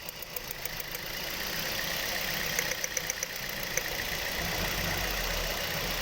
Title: Engine Misfiring v3